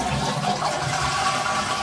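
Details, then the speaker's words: Newly installed replacement toilet fill valve after a leak check, flow set to full then adjusted down: a steady hiss of the cistern filling, then a clean cut-off as the float rises and shuts the supply. Normal refill and shut-off. "and it will slowly shut the water supply off. I can hear it going now, it's reducing, it's doing its job. And no leaks, and all's well."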